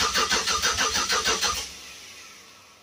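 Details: Budget project car, first start attempt with wiring in progress: starter cranks steadily at about three beats per second for a second and a half with no firing; no RPM signal despite crank sensor plugged in, MAP sensor unplugged, coolant 64 degrees.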